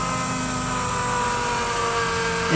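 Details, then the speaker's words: 1996 Ford F350 7.3 Powerstroke diesel with electronic fuel conversion, newly installed fuel pump feeding pre- and post-filters: steady, even electric hum with clean tones, slight step up near the end; sounds a lot different, running normally. "therefore sounds a lot different"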